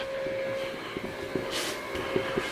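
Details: Factory Five Mk3 roadster with 4.6 DOHC before first start: faint steady high fuel pump hum under light clicks; pump runs smoothly and the regulator holds steady at 43 psi.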